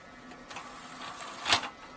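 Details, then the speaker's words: Xbox 360 disc drive after cleaning hardened grease from gears and lubricating, tray opened and closed several times: short motor whir then one clean clunk, no grinding or slipping; laser starts, drive working. Normal disc tray operation. "Laser bật và hoạt động của laser bắt đầu nên ổ đĩa đang hoạt động thành công, hãy bật và tắt một vài lần nữa để kiểm tra hoạt động của nó"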